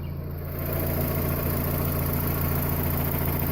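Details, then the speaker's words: 1990 Mazda Miata with replacement 90,000-mile engine from a newer NA (about 1992) fitted after original overheated, idling; smooth steady low hum, no ticks, knocks or misses, a clean healthy idle. "So let me start it up. You can hear it run. This thing runs so nice, if I do say so myself."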